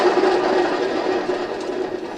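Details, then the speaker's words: Hustler 54-inch ZTR mower deck with 350 hours, belt off: a rough, gritty rumble with a faint ringing tone as the spindle coasts down, from worn-out spindle bearings. "that's really noisy the bearings are just wore out in that spindle"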